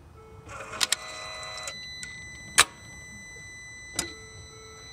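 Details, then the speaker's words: Car that only clicks when started, battery and connections checked and the crankshaft turning freely by wrench: each start attempt gives a single sharp click with no cranking, showing a failed starter. "case that's the problem so remember if you try to start your car and you gotta click only one click so most likely it's going to be or locked up engine or the starter which is failed"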